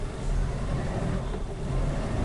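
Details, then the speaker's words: Suzuki Katana carbureted engine at low rpm: low, uneven, lumpy rumble with heavy cabin vibration and weak acceleration; one cylinder dead from a black, fouled spark plug, needing new plug plus carburetor and ignition timing adjustment. "di rpm nya rendah dan kemudian getarannya di kabin itu juga terasa sangat besar sekali teman-teman bisa dengar suaranya ini getarannya besar"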